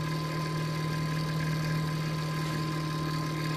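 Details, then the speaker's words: Noisy CPU cooler fan in a late-1990s Tiny Pentium III 450 Windows 98 PC on the bench: steady drone with a constant low hum and thin whine on top. "Sami's why on earth is that noise that's the fan on the chick supply on the chip making that noise"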